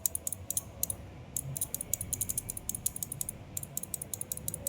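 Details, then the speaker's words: Yamaha Aerox 155 that won't start, five-pin combined starter/charging relay bench-tested by powering pins 85 and 86 from the battery: quick sharp dry clicks, relay working; owner suspects ECU wiring fault. "Dapat mag-click to mga boss. Ayan oh. Dapat ganyan yan."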